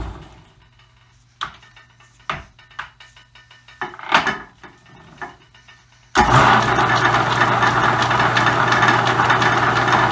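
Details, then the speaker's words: Roughly century-old Dominion Auto-Drive lathe gearbox on new oil, lathe partially disassembled, likely high speed: scattered clicks, then steady even whir with light clacking; normal running, perhaps smoother than before. "sounds exactly like it sounded before to me the high-speed might sound a little bit smoother it's hard to tell usually the ladies running at the same time and there's a clicking and clacking and all that kind of normal stuff"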